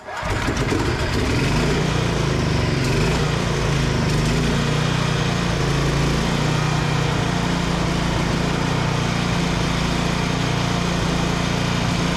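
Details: Vintage Onan Pro6000E generator, Elite 140 OHV 12.5 HP engine, refired after fuel-system cleaning and flashing the field at 12 V; catches quickly, steady even governed drone, no misfire, run unloaded; engine healthy though outlets previously gave zero volts.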